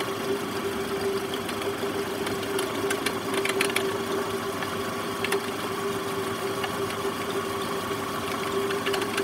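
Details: Toyota Estima ACR50 at idle: steady mid-pitched whine with faint rough edge riding on engine; worn alternator bearing noise.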